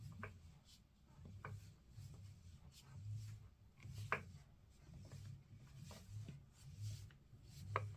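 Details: Fanatec DD+ direct-drive wheel base: quiet, irregular soft clicks and light clunks come from inside the base as the motor shaft turns, suggesting internal play at the shaft. The unit was returned and the replacement base had no problems.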